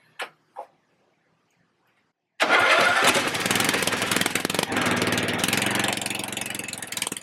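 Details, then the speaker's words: Husqvarna RZ30 zero-turn mower with a Briggs 16.5 hp engine, started on choke after refitting the muffler: fast, uneven run with a sharp puffing tick at the muffler from a leak still getting past the gasket; next step a flange cut from a galvanized washer. "I still hear a little bit coming right out of here. There you go. So, she still leaked."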